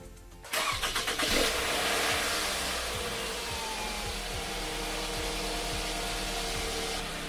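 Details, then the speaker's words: Toyota-dealer-serviced Scion tC with valve cover gasket leak, started to let it circulate: starter whirs briefly, catches cleanly, steady even idle, no knocks or ticks; normal start and idle. "Sounds good. It'll be even better once I fix that valve cover gasket."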